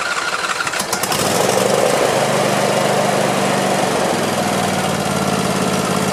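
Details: Craftsman YT4000 lawn tractor, sat in a barn for years, partly disassembled: a second of cranking, then it catches and settles into a steady, even putter, no misfires or knocking; deck engages with some vibration, blades to be checked, sharpened and balanced. Normal start and idle.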